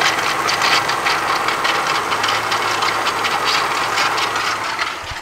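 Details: Del Sol D-series engine running: dry, rattly metallic chatter, rotational, steady with engine rotation, fading and returning; first traced to shot alternator bearings, finally diagnosed as a bad water pump bearing.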